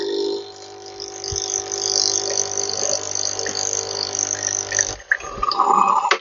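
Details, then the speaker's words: Nescafe Dolce Gusto coffee maker after freeing a stuck pump that gave no water: steady low pump hum with gurgling flow, no stalling or straining; boiling water comes out, brewing normally. "water is lekker boiling water. So it was the pump that was wrong. That pump was stuck in there."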